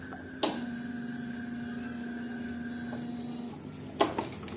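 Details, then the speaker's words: Yamaha Mio J fuel-injected scooter that is completely dead, at key-on: a click, then a faint hum from the fuel pump for about three seconds, with no pressure on the gauge; the fuel pump has failed. "itu menandakan di bagian ppom ini terjadi masalah dan untuk di bagian full form itu ada bunyinya ya ada bunyi dengung di bagian full form cuman bunyinya itu cuman sedikit ya teman-teman"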